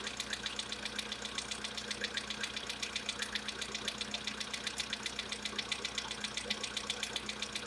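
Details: VW Polo Sedan, CFNA engine, at idle: sharp regular light ticking knock about four per second from the top end; known engine knock that owner tries to cure with decarbonization.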